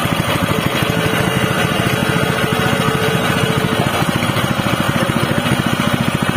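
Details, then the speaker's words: Honda WB30XN water pump (GX160, 5.5 HP, rated 3600 rpm) converted from gasoline to LPG from a 3 kg cylinder: fast, even single-cylinder putter with steady pulse, no misses or knocks, sounding about the same as on gasoline; normal running. "the Honda wb30xh which has been modified to become heavy LPG fuel, in my personal opinion, for the sound itself, it is almost the same as the gasoline fuel itself,"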